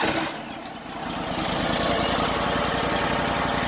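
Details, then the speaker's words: Wallenstein BMXT 4238 chipper shredder, bought at auction and not starting, after repair and reassembly. The small engine stumbles, then settles into an even, steady beat with no misses or knocks; running healthy. "Oh yeah. Yep. Purring like a kitten. That's nice."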